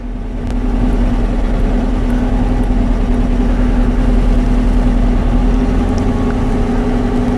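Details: 2012 Dodge Charger V8 at idle: low, slightly uneven, lumpy pulse with no knocking. The misfire is worse at idle and clears off idle or when driving, despite new lifters, cams, rings, heads and coils; an analyzer shows one cylinder lacking turbulence.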